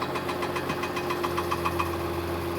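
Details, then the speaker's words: 2015 Mercedes-Benz S65 AMG after engine rebuild: light rapid ticking rattle over a steady idle that clears once the starter motor bolts are loosened; the newly fitted starter was touching the engine, engine itself fine. "Gone. And just like that, that noise is gone. So it looks like it's a starter motor that's touching."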